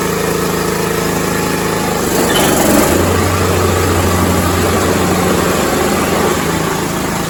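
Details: Six-year-old John Deere lawn tractor, first start attempt after the starter solenoid was checked: a steady small-engine putter that surges slightly, then settles to a lower, even note and keeps running; normal idle.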